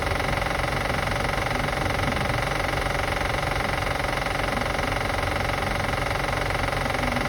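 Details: 2005 Acura TL after starting, at idle: quick, even metallic clicking at about three per second over a steady idle; cause not pinned down.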